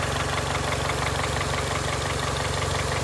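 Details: 2002 Honda Accord, 260,000 miles, steady idle with a regular light knock about two per second over the engine note; owner unsure whether it needs a valve adjustment or has rod knock, or is just old.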